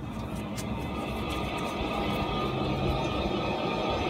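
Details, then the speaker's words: Mazda Miata wheel spun by hand with the caliper and bracket removed: steady gritty rumble and growl from the hub bearing where the other side is silent; worn wheel bearing. "clearly not good. There should be no noise coming from that bearing. All right, so that one's bad."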